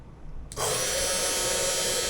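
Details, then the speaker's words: Cheap Amazon desktop CNC mill spindle, apparently fixed at 12,000 rpm, spun up: a steady, high, hissy whine with a sharp tonal edge. The owner worries it sounds bad; the cause is not confirmed. Abnormal spindle noise. "Звук, разве звук не плохой? Разве это не звучит плохо? Я просто беспокоюсь об этом..."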